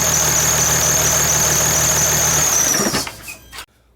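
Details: 2008 Dodge/Mercedes Sprinter 3.0 L diesel, after replacing a sticking thermostat, no leaks found: even diesel idle with a steady high whistle, no knocking, then the engine is switched off and winds down cleanly.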